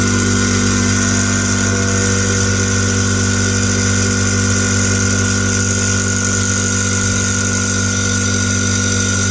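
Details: New SGS 50-litre air compressor, first run after unboxing, building pressure to auto-stop: steady even motor hum with fast regular pumping beat, no knocks or rattles; normal compressor running.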